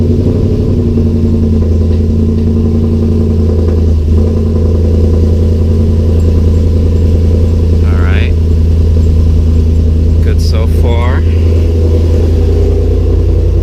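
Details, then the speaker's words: 2006 Mustang with Coyote V8 swap and reinstalled T56: deep, steady V8 burble at idle with even beat, no knocks or misses; owner suspects an exhaust leak somewhere; normal idle. "Probably have exhaust leak somewhere. I'm sure I'll find it afterwards. For now, sounds good in there."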